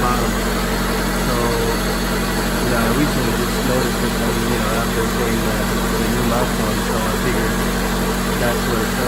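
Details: 1995 Honda Civic Si hatchback idling with solid racing-style eBay lower motor mounts installed: heavy even low drone and buzz through the body; solid mounts pass engine vibration into the car.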